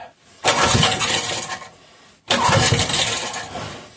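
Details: 5 hp Briggs & Stratton engine with gear reduction, long-stored with old black oil: two bursts of rough pull-start cranking, each fading after about a second without running on its own fuel supply; cranks but won't start.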